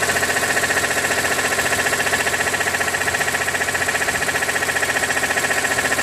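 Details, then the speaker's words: 2006 BMW E46 M3, 42,600 km, oil temperature above 80°C: steady quick ticking knock about three per second over smooth idle; abnormal engine noise, owner wonders if oil pump, cause unconfirmed. "音が出ます。なんだろう。オイルポンプとかだったらわかんないな。"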